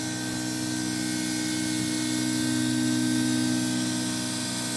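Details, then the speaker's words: VR V6 turbo Commodore ute with new 800+ hp fuel system, Bosch 044 pump triggered with the main pump: steady, even high-pitched whine over a constant hum with no surging or rattle; 60 psi, leak-free, healthy. "but if I put this on, you can hear that 044 goodness, and we're looking good."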